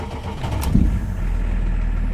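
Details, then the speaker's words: BMW 525 tds diesel after injection pump adjustment, idle around 650 rpm: starts and settles into a steady, even low idle with no sharp clatter; clattering would mean the pump is misadjusted. Normal diesel idle. "faut pas entendre claquer si vous entendez claquer c'est pas bon avec la pompe est mal réglé faut que la voiture elle fasse comme ça"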